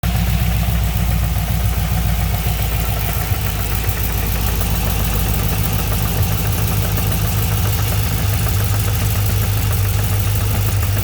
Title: LS3 engine noise at idle.